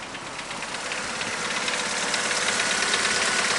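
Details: Opel C20NE petrol engine, 429,211 km, fairly fresh oil (~80 engine hours), just after adding Wynn's hydraulic valve lifter concentrate: light fast ticking about three taps a second at idle, hydraulic lifter tapping not yet gone.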